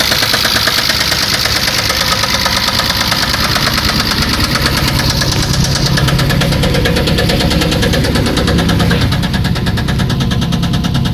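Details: 1994 Chrysler LHS at idle: sharp, regular metallic ticking about three per second, steady throughout; internal engine knock, cause unclear.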